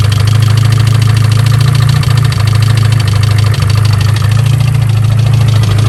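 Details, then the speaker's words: Car engine that ingested water (hydrolocked) and was restarted: loud heavy idle with deep uneven thumping; a really bad rod knock, engine considered done for. "that was uh very loud here hold this real quick that sounds like a really bad knock yeah let me listen to it a little closer i did not sound healthy"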